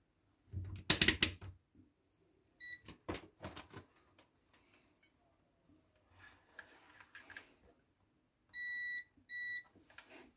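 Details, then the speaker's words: Dead Silvercrest electric kettle, unplugged: after a few handling clicks the multimeter gives two short, steady high beeps, showing continuity, so the kettle's fuse is intact. "Ασφάλεια είναι εντάξει."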